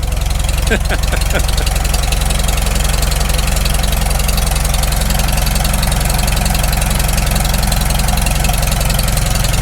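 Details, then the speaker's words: Farmall Super M first start after full rebuild, still cold, initial carb settings: slow, steady idle beat with no knocks, muffler paint smoking; normal cold idle. "it doesn't idle down too bad given just it's the initial carb settings i can't hear any knocks yet oh it's still cold it'll knock once it warms"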